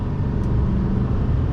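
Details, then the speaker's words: 2020 Chevrolet Silverado 2500HD, 6.6L turbo diesel, 445 hp, 10-speed automatic, acceleration test: low smooth rumble pulling evenly, no knock or whine, quiet for a diesel, smooth shifts; healthy. "smooth shifting I'll tell you that much but it's quiet you're really not getting a lot of turbo diesel sound"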